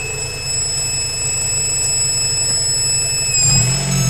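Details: Honda B18C6 engine: a thin, steady high-frequency whine above the idle that rises in pitch with the revs; source undetermined.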